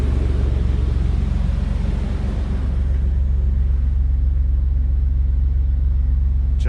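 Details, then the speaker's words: S10 Blazer V6 after fixing the spider fuel injection, gaskets reused; deep, steady idle with no misses or vibration, running very smooth. "I fixed the Spyder injection running very smooth no vibration"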